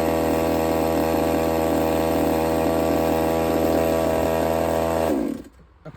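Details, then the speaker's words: Redcat Rampage XB with Walbro 990 carburetor: steady even two-stroke buzz, constant pitch about five seconds before cutting out; smooth idle after low-speed needle set one and a half turns out. "I just gave it a little bit more air one and a half turns out on the low speed and that thing that's it that's it's on the money"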